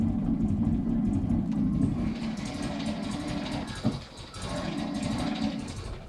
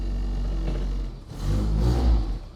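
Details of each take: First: 1969 Mini Pickup idling, loud raspy whirring grind when clutch pedal is pressed: clutch release (throwout) bearing completely worn and has been for many years; car also not charging and won't switch off. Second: 1969 Mini Pickup after clutch release bearing repair: small petrol engine idles and rises briefly with a blip, no squeal or grinding; clutch release now completely silent.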